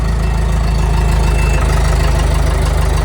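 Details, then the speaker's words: Large Hobart welder engine with a newly wired fuel pump: a deep, even low thump at steady speed with no misfires or rattles; normal running. "Like I said, it runs good."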